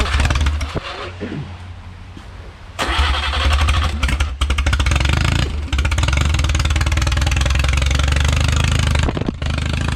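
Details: Original early-1950s engine of a Renault 4CV (car a 1952; engine failed early 1950s with cracked block, weld-repaired), reassembled and run for the first time in ~70 years, warm: catches and settles into steady, slightly lumpy low idle, no knocks or misses, barely smoking; normal idle.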